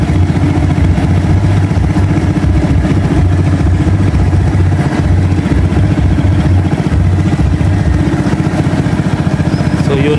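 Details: Rusi 110 motorcycle after new regulator, voltmeter check: steady even single-cylinder idle, low regular beat, no misses or knocks; normal idle, charging 14.5V versus 12.5V before, battery no longer discharging.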